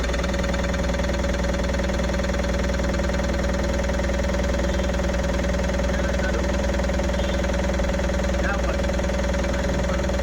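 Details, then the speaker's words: Tata Ace Gold BS6 diesel that cranked but would not start (crankshaft sensor no-signal code P0335): now started after fitting the battery, steady idle with even clatter, no misses or hunting; healthy and settled. "देख सते गाड़ी हमारी चालू हो गई है देख सकते हो"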